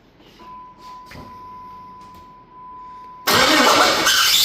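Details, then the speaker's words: Jeep WJ engine fired up after repairs for a knocking noise traced to damaged bolts: a thin steady tone, then the engine catches with a harsh high squeal over the start-up roar and no deep knocking; squeal cause not confirmed. "Uh squealing's better than knocking. So, that would be an improvement."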